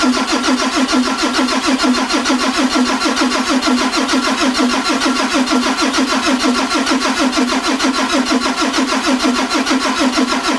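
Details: 2003 Ford F350 with 2004 Cummins 5.9 after fresh rebuild/bore, new pistons, rings, injectors, FCA and FASS pump: starter turns it with a steady compression beat for ten seconds but it never catches; crank, no start.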